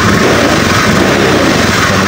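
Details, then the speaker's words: Honda Scoopy eSP injected scooter, previously stumbling when cold, after ECU reset, idle around 1600 rpm: engine revs up strongly and evenly under throttle, more responsive, no stumble; normal. "gas pasti lebih responsif normal bagus"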